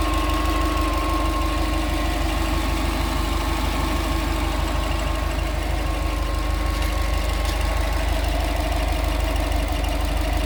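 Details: Subaru Forester SG 2.5 XT turbo petrol engine idling steadily with a fast, fairly regular ticking running through the low rumble.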